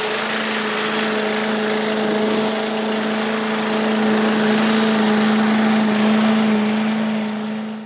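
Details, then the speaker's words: 1985 Billy Goat leaf blower, Briggs & Stratton 8HP, after carburetor cleaning, new spark plug, oil, air filter and fuel tank: a steady, even mid-pitched hum with no misses or surging. It runs healthy. "80 bucks it runs pretty good yeah real happy with that"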